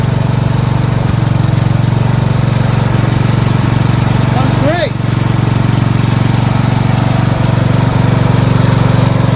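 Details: Lawn tractor with four-wheel steering, after carburetor and fuel line replacement and ground repair: steady, even low drone with a regular beat and no misses or surging; normal running.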